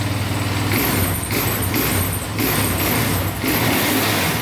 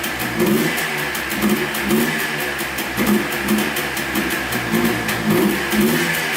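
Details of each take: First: Sport quad, first start-up on choke then warming: picks up cleanly on each throttle blip and settles without stumbling or valve tick; normal throttle response. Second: Yamaha Blaster two-stroke quad after a transmission rebuild, running without its air filter: the buzzy idle sags and picks up about twice a second, as if starving for fuel; the missing air filter is suspected.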